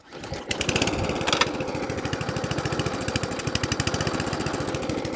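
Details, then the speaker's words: Atco Balmoral cylinder lawnmower after carburettor fuel-starvation fix and service, engine at fast revs: quick even clatter, cutting cylinder spinning though never engaged; engine wouldn't shut off. "yeah that cylinder's running I hadn't actually asked for the cylinder to be cut in yet it drives but let me let me now shut off"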